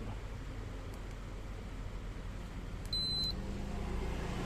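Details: Miyako 18-inch remote-control fan after servicing: low steady hum, then one short high beep as it is switched off and the motor winds down. The off button responds normally.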